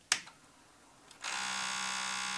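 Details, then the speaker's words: 40-year-old TRS-80 CGP-115 pen plotter (ALPS mechanism), powered on without pens: sharp click then about a second of steady buzzing motor tone as head homes normally; paper roller not moving, a plastic lever is broken. "that's it homing the head but it's now trying to drill squares in each color of each of the four different pens"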